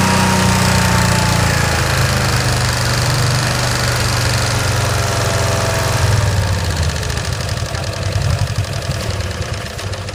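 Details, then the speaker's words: 1965 Cushman Truckster, in neutral after sitting over a year: lumpy, uneven firing that sags and stumbles instead of picking up, as if rich; rough running, owner suspects a stuck choke. "I'm trying to get that choke to let off that's the problem it's got like it's got a stuck choke valve on so it's not the throttle that's the problem"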